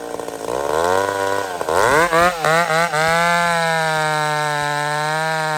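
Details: Old McCulloch Super Pro 70 chainsaw cutting on a hot evening: winds up smoothly, then holds a strong, steady high pitch under load with no surging. Healthy running.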